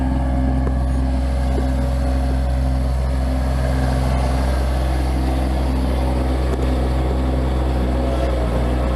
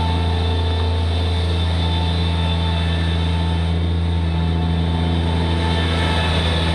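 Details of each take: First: Bobcat MT85 mini skid steer, engine running: steady low drone with faint intermittent high squeaks that occur only on one particular turn, a belt squeaking from a worn tensioner, fixed by replacing the tensioner. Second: Bobcat MT85 mini track loader under load with a full bucket, after belt tensioner replacement; it previously squeaked only under load on a particular turn: steady low diesel drone, no squeak or chirp; tensioner fix worked.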